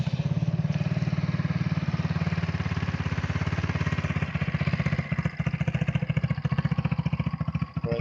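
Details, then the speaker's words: Restored Hammerhead machine, idle set low: slow, loping putter about three to four beats a second that sags and stumbles near the end; idle speed too low, nearly stalling. "idle down pretty low like sounds like it wants to stop"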